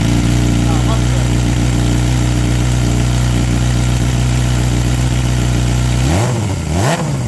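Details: 2007 Suzuki GSX-R 600 four-cylinder fitted with a cheap aftermarket muffler after a crash broke the original. Steady smooth idle, then clean throttle blips rising and falling freely; runs healthy.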